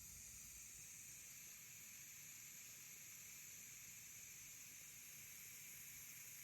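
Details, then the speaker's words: New electric pressure canner with pint jars, still warming up and not yet at pressure: steady hissing steam jet, growing stronger, with some water sputtering; steam venting during warm-up. "That steam is getting stronger."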